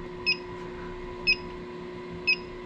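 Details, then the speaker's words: Inficon GasMate combustible gas leak detector near a boiler before gas is opened: steady high chirp about once a second, no speed-up and no lights; reading no leak, normal. "the highest light and the most noise be a big leak right now you he just little beep with no lights everything's good"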